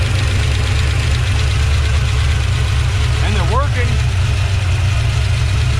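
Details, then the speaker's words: 1970 Plymouth Duster 340 V8 with adjustable rockers, first start: heavy lumpy idle with a cylinder dropping out and heavy blow-by; clearly missing, water test later shows weak and dead cylinders. "i don't like this the way this thing sounds that's totally missing now it sounds like it's got a cam in it"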